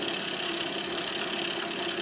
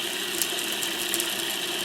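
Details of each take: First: Monroe LA-5 motorized mechanical calculator powered for the first time in decades: a steady high whirr with governor sparking crackle as it comes up to speed; it runs acceptably but seems to drag on something. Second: Monroe LA-5 motorized mechanical calculator, first power-up in decades after oiling: steady high buzzing whir with fine crackling as the motor spins up to speed; sparking probably from the governor, considered typical.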